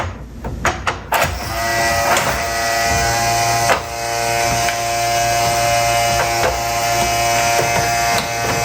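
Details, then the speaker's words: RCA SJT 400 CED player opened up on the bench: steady electric buzz after a few clicks with nothing moving; loading mechanism not working because the drive belt is bad, no replacement belt on hand. "it no longer buzzes that's a start so now we know that the loading mechanisms only work not working because the belt's bad and no i don't have a belt for it why would it be making that loud racket"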